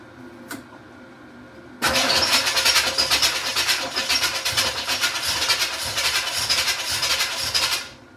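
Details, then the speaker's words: 1986 Camaro Z28 350 small-block V8, no coolant, idle attempt, fuel line dripping: catches after short crank and runs steadily with no knocks or misses, some exhaust and choke smoke; sounds healthy. "We got some smoke. Just exhaust smoke and some cho smoke. Okay, good, good, good, good. Heat. Heat. Sounds pretty good."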